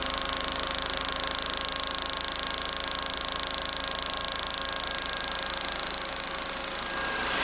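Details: DC motor rated 1725 rpm at 24 V, fed 48 V through a DIY IGBT PWM controller at maximum throttle: steady high whine over an even hum, no knocks or roughness; running cleanly at full speed, controller and capacitors stay cool.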